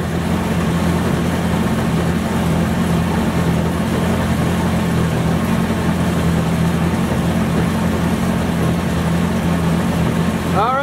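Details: Homemade side-by-side with new hardened heavy-duty axles and an added driveshaft support bearing to cure vibration, though slight shaft wobble remains: an even engine drone and steady driveline hum with no knocking or clunk. The driveshaft is running smoothly.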